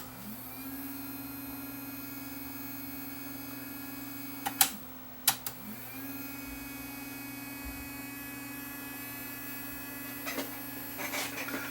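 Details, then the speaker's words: Luxman KX100 cassette deck with a non-working motorized loading door: the small motor hums at a steady pitch but does not turn the cam gear that pulls the unit in. A belt that came off or broke is suspected, not confirmed. "can hear the motor running but it's not retracting it's not operating this cam"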